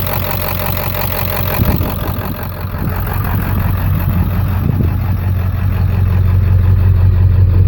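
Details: Ford 7.3 diesel with twin pyrometers idling rough with a deep, uneven rumble and a loping beat of about three pulses a second; blow-by noted, cause suspected, not confirmed.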